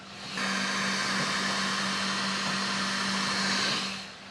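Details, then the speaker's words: Qidi Tech X-Smart 3 3D printer printing a slow early layer: a loud steady fan hiss with a low hum underneath, judged a bit loud for the machine; loud cooling fans. "But just take a listen to all the fans on this machine. I think it's a little bit loud for what it"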